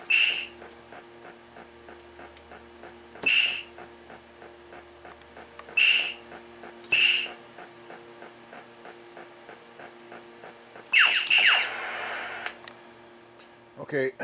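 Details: 1980 Taito Space Invaders Part II three-board PCB after repair: low steady marching thump loops under sharp whistling zaps every couple of seconds. The missing thump sound works again after replacing the faulty 556 timer IC17.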